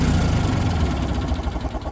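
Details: Old Kohler twin-cylinder pancake engine on a 3-wheeled street sweeper, unused over 20 years: rough, uneven low chug that fires on prime and fades within seconds; engine starving for fuel and dying, later fixed with new parts including electronic fuel pump.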